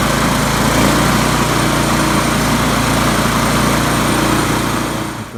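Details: 1997 Murray 22-inch mower, 4HP Briggs classic (model 22276X92A), after idle tuned by bending linkage; single-cylinder runs steady, fairly even fast beat, louder and better; normal running.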